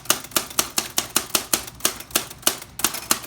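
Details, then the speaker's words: Old manual typewriter, described as probably over 100 years old, being typed on: crisp, even click-clack strikes about every quarter second, each a sharp snap with quick decay; mechanism working normally. "And what they would do is they'd roll the paper in and they'd type. Do you hear that sound? Click, clack."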